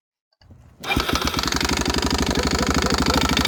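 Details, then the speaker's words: Single-cylinder four-stroke bike engine, Suzuki DRZ 400 type, at idle: harsh irregular metallic smacking about three per second over the idle; valve guides disintegrating, leaving metal debris in the combustion chamber. "see these metal pieces here that's actually the valve guides um disintegrating"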